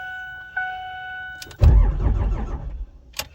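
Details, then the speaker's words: 5.9 Cummins diesel at 12 °F, coolant 14 °F, two 5-year-old batteries and anti-gel treatment only, no block heater or grid heater, no throttle; slow heavy cranking with no fire on second attempt, heavy smoke, extended cranking before it started. "Whoa, it did not like that. All right, that's 2 cranks. One more time."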